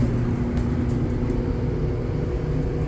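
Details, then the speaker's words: Roughly 10-year-old dryer running again after being taken apart and cleaned, no parts replaced, to cure an awful loud grinding noise; belt showed slight wear. Smooth, even low drum rumble, no grinding or squeal; normal running. "yay it's working again"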